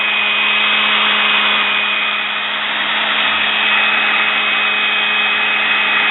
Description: Fixing and cleaning brushes in sewing machine motor After running for awhile the brushes seated better and sparked Less Also a small amount of Sparks are normal same as in a drill Etc .